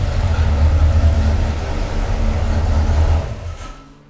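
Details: Mopar 383 V8 for a '68 Dodge D200 on the dyno, first run this high around 5,000 rpm: deep, even roar held at high revs then easing off, no valvetrain ticking or clatter. Normal high-rpm running.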